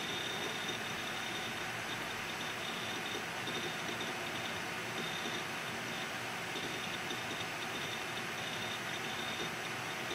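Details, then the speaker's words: Budget quiet PC, i5 quad-core with Arctic Cooling Freezer i30 CO, fan controller turned to highest position: steady high rushing airflow with faint constant whine, fans at full speed running normally. "i will turn it to the highest position and definitely we will hear and you will see the noise that will increase"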